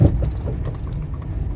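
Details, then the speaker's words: Renault Clio Joy with automatic transmission, driving: deep road rumble with dull low knocks about every quarter second from underneath. "araç Renault Clio alt taraftan ses geliyor otomatik vites Biz birazdan ses duyarsınız duymuşsunuzdur arkadaşlar ses çok net bir şekilde duruyor"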